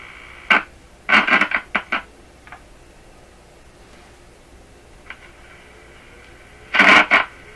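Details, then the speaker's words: Crackling audio from a radio during sweep-generator IF alignment, signal injected at the tuning capacitor bypassing the front-end antenna transformer: irregular bursts of scratchy crackle over faint hiss, like a noisy volume control; cause not yet found. "It's like a noisy volume control is what it sounds like."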